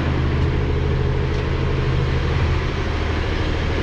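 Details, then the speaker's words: Cummins ISL9 diesel after in-frame rebuild (dusted engine, broken top rings on cylinders 5 and 6), at operating temperature with idle bumped up via cruise: steady even drone, no knocks or misses, about 35 psi oil pressure; normal idle. "is about 35 psi idling, engine operating temperature, so that's good."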